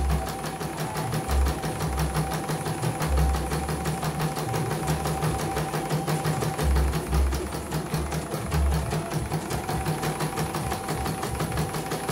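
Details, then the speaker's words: CNY embroidery machine (M21), sent in fully jammed with heavy rotation, running with the small frame and presser foot lowered after servicing. Fast, even stitching clatter holding a steady rhythm with no catching or knocking: stitching normally, no problems. "Oke, normal. Turunkan sepatu. Oke, langsung lancar, nggak ada kendala."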